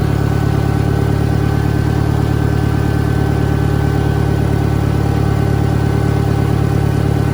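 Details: 1963 John Deere 1010, original and properly maintained, 1,000 rpm, third gear on a backyard lap, needs valve seals; steady, even throb about four beats a second with only a faint gear hum under load. Normal straight-cut gear noise.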